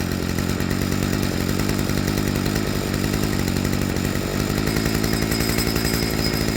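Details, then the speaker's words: Stihl FS55R two-stroke trimmer after a carburetor swap, with the low-speed screw set just rich of peak idle: it holds a steady, even buzz with no hunting or surging and gives an immediate wide-open throttle response; a normal idle. "So, it's probably hard to hear on camera, but right here is about the optimal spot for it."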